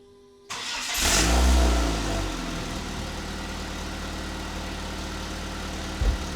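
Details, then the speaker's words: Dodge Neon with used old muffler temporarily swapped in: catches and settles into deep, boomy idle with heavy low drone; sounds much worse, muffler doing a poor job. "like oh hell no that one sounds so much worse so much worse and that's kind of the only Muffler I have"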